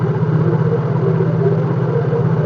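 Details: Yamaha Mio J scooter with a weak-starter complaint, after battery recharge and a restart that dipped only to 11.9 V. It idles with a steady, even low putter, no misses, knocks or rattles; the battery is judged fine to use.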